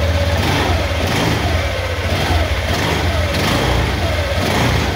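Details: Honda Vario 150 Smartkey scooter, after a new ECM was fitted and registered in place of a dead one: the engine catches and runs cleanly, revving and settling in smooth, even swells with no misses or knocks. Normal running.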